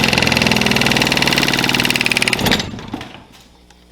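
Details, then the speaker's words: HVAC blower motor with an axle nut zip-tied to the wheel as deliberate debris: loud rapid hammering about four beats a second, then spin-down. It shook a wire off and smelled of electrical fire; severe blower wheel imbalance vibration. "It just shook so much that one of the wires fell off."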